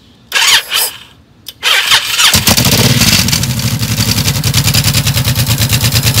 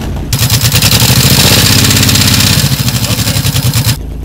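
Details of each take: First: 2006 Honda VTX1800, noisy since dealer work: after a normal startup, the idle lopes evenly with a light tick on each pulse. Top-end ticking that seems to come from the front cylinder; the dealer blamed exhaust gaskets. Unconfirmed. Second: 2006 Honda VTX1800, which had top-end ticking after dealer work. Started from neutral, the big twin catches quickly and settles into an even loping idle with no ticking or knocking. The idle is healthy.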